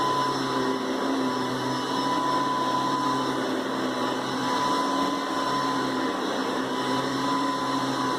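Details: Hoover Decade 800 upright vacuum, two-speed, run on speeds 1 and 2: smooth, even motor hum at steady pitch, free of grinding or clicking; very smooth, pleasant normal running.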